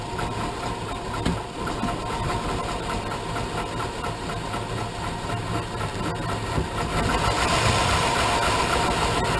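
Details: 2001 Suburban 2500 6.0 Vortec, cold start at about 1 degree after sitting overnight, just after cylinder head rebuild (new plugs, wires, gaskets, intake valves, valve seats). Idle lopes unevenly, revs sag and recover, engine almost died; rough cold idle with RPM surging, cause unknown.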